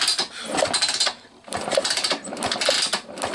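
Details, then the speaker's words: 1999 Honda Fourtrax TRX250X ATV, key lost, so a portable CDI box is hooked to the pulse generator's blue/yellow wire for a spark test: crisp, sharp snapping ticks about once a second, a nice healthy spark. "you guys for saying that so we could see we have a nice healthy spark"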